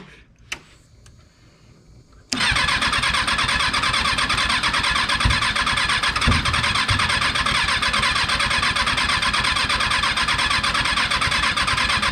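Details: Freshly rebuilt Kawasaki 636 engine, first start attempt after installation; fast harsh cranking with a few uneven sputtering catches, never reaching idle: cranks, sputters, will not run.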